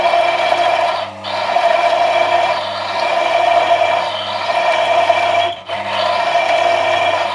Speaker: We have fluid friction now, but as soon as I increase the pressure there is friction, you can hear it in the background noise. As soon as I press further, there is high wear, too much friction and ultimately cold welding.